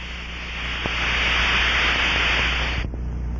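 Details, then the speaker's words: Aircraft fuel cell drained and pressurized with air or nitrogen to 2–5 PSI, heard through an Ultraprobe 2000 ultrasound detector: steady rushing hiss for nearly three seconds, then cuts off; air escaping through a leak hole. "in certain cases you may hear a crackling sound from residual fuel in the tank as it is forced through the leak hole"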